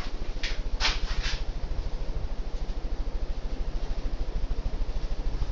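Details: Hunter Original four-blade ceiling fan (white/polished brass) on high; an even low whoosh pulsing about 200 times a minute, no knock or rattle, no wobble. A healthy fan.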